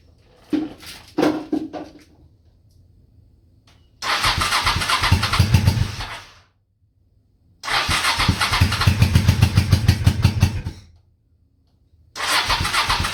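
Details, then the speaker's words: Honda Shadow V-twin motorcycle, same oil for 20k miles, parked 4 years, Seafoam in oil and intake overnight, cold morning: repeated cranking bursts catch into ragged chugging then die; hard starting, owner suspects weak fuel pump starving it. "This thing's like starving for fuel or something. Right on. Come on, baby. Give her all the choke. Yeah, she's starving for fuel. I think that fuel pump is weak."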